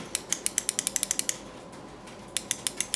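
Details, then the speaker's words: Everflo EF5500 water pump after pressure switch replacement: crisp, sharp clicks in quick bursts with short pauses as the new switch snaps cleanly on and off, with more on/off travel than the old erratic repaired one; normal. "sounds much better too now when I press on the the activator you can hear it"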